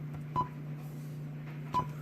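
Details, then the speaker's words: BMW E53 Android head unit after full system restore/firmware update: two short clean mid-pitch beeps about 1.4 s apart over a low hum at boot, responding normally, though radio audio later fails. "okay so then this bizarre background it's back up and running now let's hope I am hearing the beeping noise"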